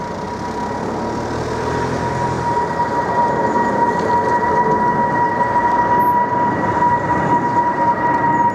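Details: British Airways Boeing 777-236ER G-VIID departing London Heathrow for Nairobi: a steady piercing whistle/screech holds above the engine roar as takeoff thrust builds; source unclear.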